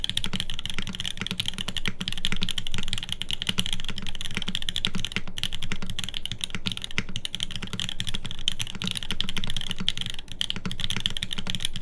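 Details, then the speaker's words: TGR Jane v2 keyboard rebuilt with a full aluminum plate, OP Black switches lubed with Tribosys, and GMK SoWaRe keycaps. Even, crisp keystrokes at a brisk typing pace with no rattle or ping; normal typing sound. "I mean, I can do a quick test here again, so you can listen to it again one more time. So here it is again. This is OP Blacks on an aluminum plate."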